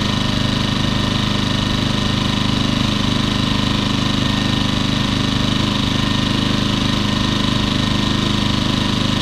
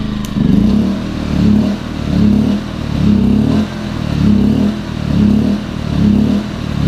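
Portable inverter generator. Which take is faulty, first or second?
second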